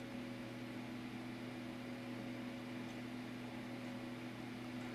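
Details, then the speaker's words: SGI-based Weather STAR XL power supply after a recap, first boot: steady, even fan rush with a constant low hum and no clicks, cycling or whine; the supply comes right up with no faults; normal power-up. "which means my recap was successful on the power supply so power supply comes right up no faults"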